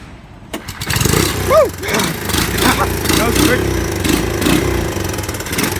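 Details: 1984 Honda ATC200 single-cylinder, start after repair, running without an air filter. Cranks, catches and revs once, then settles into a fairly steady idle without stumbling. Running much better.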